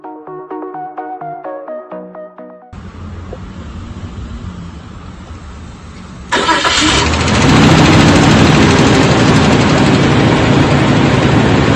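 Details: 2002 Nissan Xterra V6 after starter motor replacement: steady even cranking at about three and a half turns a second, then the engine fires cleanly and settles; a healthy start on the new starter.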